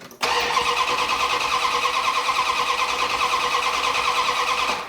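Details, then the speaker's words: 1972 Dodge Dart Swinger with freshly installed engine: five seconds of brisk, even cranking with no firing at all; crank no start because the distributor was reinstalled 180 degrees out after the engine was rotated. "Distributor has been turned 180 back in the opposite direction. That was my own fault."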